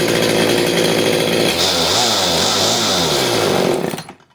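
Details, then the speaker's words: CS310 chainsaw whose chain kept spinning at idle, after the clutch spring was fixed and the low jet screw reset. It comes down from a high buzz to a slightly hunting idle before shutdown. The idle sounds normal, and the chain no longer spins. "you can see that the chain is no longer spinning because we took care of the spring on the clutch so it would normally be spinning"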